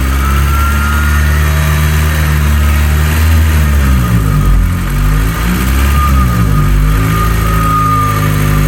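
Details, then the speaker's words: Honda S2000 petrol engine revving with a thin, weird steady whistle from worn pulley bearings on the belt drive, with the idler pulley suspected; fixed by fitting pulleys from an S2000 race car. "it's like a whistle. It's such a weird whistle."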